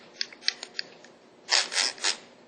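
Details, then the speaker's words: Old camshaft synchronizer removed from a 1999 Ford Ranger 3.0 at about 62,000 miles, turned by hand: short sharp high squeaks from the worn bearing, heard every morning at startup, setting a P0430 cam position code; new one doesn't squeak. "Right there. That's squeaking. I was hearing that every morning at startup. New one does not do that."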